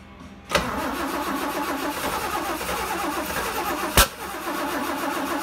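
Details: Engine after swapping to old rusty fuel tank, clogged filters, oil gallery leak; now on clean fuel with Sea Foam in carb, starting fluid and fresh gas: starter churns steadily for seconds, never catches or fires; cranks, no start.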